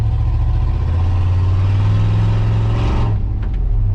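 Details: 2003 Silverado 2500 6.0 V8 before long-tube header install: loud, raw booming roar on revs; terrible exhaust leak, dual exhaust broken behind O2 sensor with only one side connected to the muffler.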